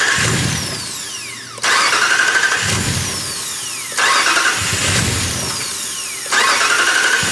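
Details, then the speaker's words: 2019 Ram 5.7 no start, fuel pressure gauge fitted: three cranking bursts of about two seconds, starter spins evenly but never fires; gauge needle doesn't move, no fuel at the release, failed fuel pump. "So it still won't start. It doesn't look like our needle moved at all."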